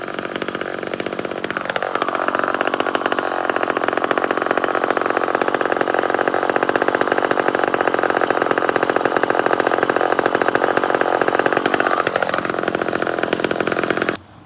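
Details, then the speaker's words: Original old two-stroke chainsaw with matchbox muffler, fresh fuel, warming up on the ground, may need retuning: high buzzy run with slight irregular stutters in the firing rhythm, an intermittent misfire; cause unknown. "I don't know if it the s's ever been apart does have a miswire if you can hear it um and it carries on a little bit more now"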